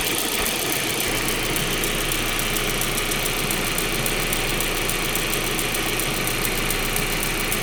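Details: 1.8T engine at idle; steady, rapid light ticking on top of the idle, even and continuous; source unknown; engine ticking noise.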